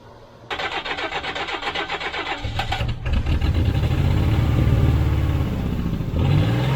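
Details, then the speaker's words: 1991 GMC Sierra 4.3 Vortec truck, abandoned, fitted with a new distributor and fuel pump and now showing fuel pressure. Short crank, then it catches and settles into an even low idle with a slight rev at the end. Starts and runs normally. "it runs, the transmission pulls."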